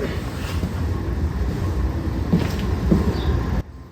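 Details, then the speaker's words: 1972 Caterpillar 977L track loader's 3306 10.5L straight-six diesel, freshly rebuilt, first crank on 24V: deep, heavy, steady starter churn with strong compression, no firing, while priming for oil pressure, no leaks; normal cranking without firing. "not yet probably going to take a while lot of cranking here can you sit here and watch that and see if we get oil pressure for me"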